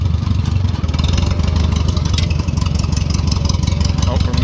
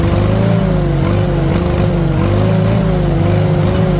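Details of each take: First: 1940 Farmall H with M&W 9-speed, lugging under load in gear: low engine with uneven beat, firing pulses dropping out; misfire, likely fuel-related. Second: 1940 Farmall H after ignition timing was adjusted by turning the distributor; even, steady putter with gentle speed waver and no misses; normal running, timing was a main fault, carburetor may need work.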